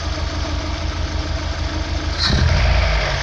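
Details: 2000 Opel Astra G 1.6 16v X16XEL with idle trouble, no power, stalling: uneven lumpy idle rising sharply on a throttle blip, rich-mixture rough running; fuel pressure 2.4 bar at idle climbing to 3 bar on throttle.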